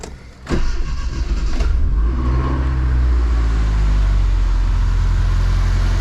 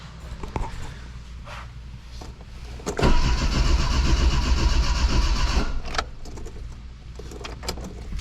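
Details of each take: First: Dodge Shelby GLHS with the Chrysler 2.2 Turbo, after a nearly new fuel pump that fails at random began working again: short crank, then catches at once into a smooth, steady, even idle. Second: Dodge Shelby GLHS Charger with Chrysler 2.2 Turbo, new fuel pump failing randomly: relay clicks and starter cranks steadily about four beats a second with no pump hum and no catch; crank no start, fuel pump not running though ASD relay works.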